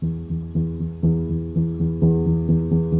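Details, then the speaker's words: Grand piano during muffler felt rail install, rail being positioned: a single note struck about twice a second rings clean with no click, so the hammer clears the brass back rail. "Come forward a little bit. There it begins to touch the back rail, that brass rail, and there it's clear. Still clear here."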